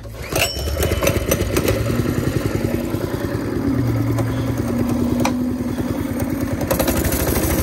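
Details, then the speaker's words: Baja Warrior small single-cylinder at full throttle while riding, after the zip-tie fix and inflating a flat tire, buzzes steadily at high revs with pitch rising and holding and no stumbles. Running healthy; poor pickup was blamed on the flat tire. "Oh, yeah, a lot better. Yeah, it's because that tire was flat."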